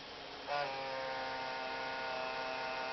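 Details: PC graphics card fan noise, first suspected to be the hard drive; steady hum with a thin whine that kicks in abruptly and holds an even pitch; noisy GPU fan, not the drive.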